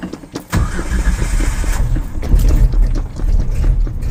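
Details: 1995 Ford Ranger truck, carbureted, morning cold start with the gas pedal pumped: the starter spins the engine in an even rhythmic churn for several seconds but it never catches. Owner thinks the engine was dry and needed gas; cranks, no start.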